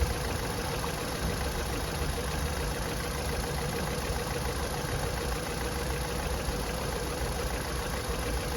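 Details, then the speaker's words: 2005 VW Golf Mk5 1.6 FSI idling with an uneven, lumpy low beat and visible engine shake, a misfire with code P0302, before replacing the spark plugs and a coil pack. "all right so check this out look how much the engine is shaking it's some idea is what we're dealing with"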